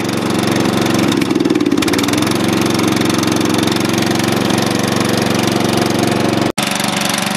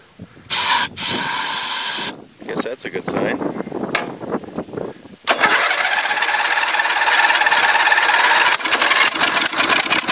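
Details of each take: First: Dynamark mower engine after fresh gas, fired up first pull: small single-cylinder engine settles into even steady chatter, no stumbling or dying; running fine. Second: Dynamark lawn mower sat since last fall, little fresh gas, carb cleaner sprayed in: catches with harsh rattle and popping, runs a few seconds, then cuts out; owner suspects water in or gummed-up carburetor blocking fuel flow.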